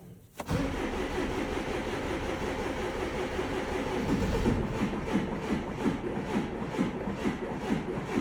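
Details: Tow truck diesel after no-start caused by water frozen to ice in the fuel system and fuel filter, filter cut open: starter cranks a few seconds, engine catches and settles into even, steady idle; starts fine.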